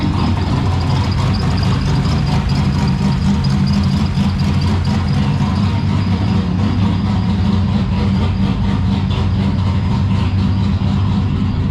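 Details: Turbo V6 Ecotec drift car, first runs, rough loud lumpy idle with a buzzy rattle on top; rattle stopped when the electric exhaust cutout was switched, so it is traced to the y-pipe or rear exhaust.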